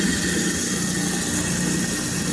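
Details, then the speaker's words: Garbage disposal that had been stuck and buzzing, after freeing the blades manually, run with cold water: steady even whir with a faint high squeal over running water, no hum or stall; spinning freely again. "there you go i unstuck the garbage disposal"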